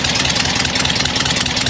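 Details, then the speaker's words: Porsche 912 under restoration, idling after another shop's work: sharp, hissy puffs ticking with each firing pulse at a muffler flange that isn't crimping, with soot visible; suspected second leak; exhaust leak. "Exhaust leak should not be mistaken for uh the actual exhaust because if you hear right here, it's got a pleasant exhaust noise. That's real combustion. That's after the muffler and it sounds proper."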